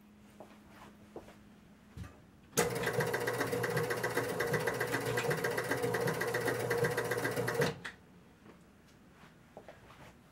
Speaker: okay so what we're seeing is a player unit is not moving at all uh tried about three times what's our problem here